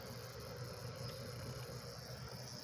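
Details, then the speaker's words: Xbox 360 that powers on with green light but gives no video: power supply makes a loud steady buzz with high whine on top, from a failed main (bulk) filter capacitor. "O Xbox quando eu liguei ele aqui, turmão, olha a barulheira dessa fonte."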